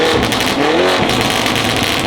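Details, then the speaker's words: Lamborghini Urus Mansory Edition with quad triangular tips under throttle: loud, raspy exhaust roar with a tinny buzz riding on it; suspected broken muffler baffle or aggressive tune. "something's rattling Muffler may be broken could be too much aggressive tunes on there too much backfires sounds like a baffle inside the muffler is broken"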